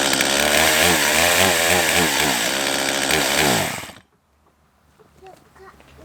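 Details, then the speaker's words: Father's old chainsaw restoration, freshly fueled: revs surge and sag unevenly and never hold a clean high pitch before cutting out, lacking power; possibly out of adjustment or a bad, worn carb, unconfirmed. "you can clearly hear that this saw is just not getting it"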